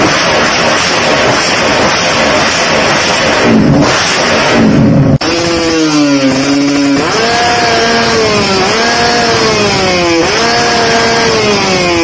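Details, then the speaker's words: Reference motorcycle (2-stroke or 4-stroke) with a correctly set carburetor pilot and main jet: sharp, clean throttle blips rise and fall quickly with no popping, hesitation or bogging. Normal revving. "nah itu contoh yo yah settingan yang pas antara motor-motor yang itu"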